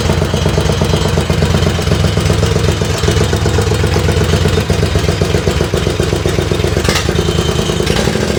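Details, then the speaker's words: Lawnmower-based race tractor, run in about 12° cold to warm up, exhaust fitted with a couple of drilled baffles: loud, throaty single-cylinder bark with harsh clatter; exhaust quieter than before but still too loud. "the exhaust sounds better, but I think it's still too loud. It does sound better. It sounds like before it was really loud."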